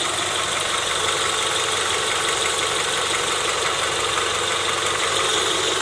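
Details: Car engine after a first-time valve cover gasket job, done because of oil in the spark plug holes, with new caps. The power steering belt is removed because of a bad bearing. Even, steady hiss-like idle with no knocks, stumbles or surging: normal idle.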